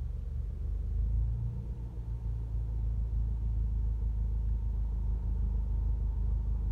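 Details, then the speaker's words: MK7 GTI with DKM MB series clutch, idling: deep rumble with steady knocking rattle about four beats a second, clutch chatter, louder with A/C on, fans audible. "guys can probably hear the fans I don't know how much you can hear the clutch chatter how louder he got"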